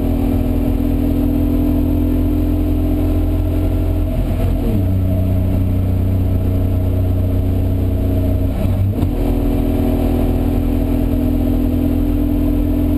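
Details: BMW E36 325si on Nordschleife tourist laps: strong steady engine drone through two gear changes with a hollow exhaust-like rasp and little pull, power loss; afterwards engine cranked without compression, owner suspects timing chain skipped and bent valves.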